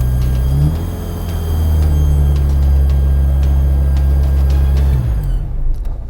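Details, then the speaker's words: Renault Clio 172 after owner's own engine work: raised steady idle at 1,800 rpm with a thin, high whistle/squeak; owner thinks air is sucked past an unsealed seal; car taken to garage. Vacuum leak. "Something's not right. Something is not properly sealed, so the air is like, it's like whistling where it's sucking in like a tiny bit of extra air."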